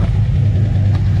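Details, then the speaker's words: Engine with SRT Max Plus cam and 2.9 Whipple supercharger, run with the supercharger belt disconnected after noise traced to a wildly moving tensioner/idler: smooth, even idle, no chirp or rattle. Noise gone with the belt off. "that's why i did it with the belt disconnected by the whipple and right now there's no more noises"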